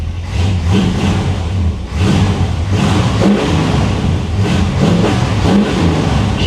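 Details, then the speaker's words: 1957 Chevy Bel Air, ice cold, carburetor just retightened with new bolts, fuel and vacuum lines reconnected: revs up in surges, falters and dips around the second blip before recovering; stumble on throttle, cause unconfirmed. "stumbled a little bit there keep in mind guys she is ice cold this car is ice cold"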